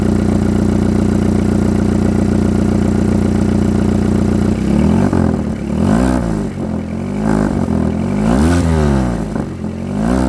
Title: Exhaust leak sound